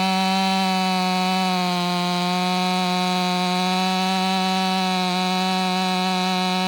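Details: Warmed-up, Empire Workshop-ported STIHL MS500i two-stroke with stock air filter, 32-inch bar, sharpened chain and seven-pin sprocket: a steady high scream holds pitch right through the cut, no bogging or surging. Pulling strongly and healthily.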